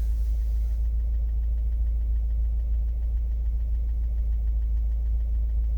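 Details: 2015 Subaru WRX base, 40k miles, warm idle after sitting 4 hours: faint, fairly even light ticking over low engine hum; no codes on Accessport, oil level fine. Owner feared rod knock, now suspects injectors or bad fuel; unconfirmed.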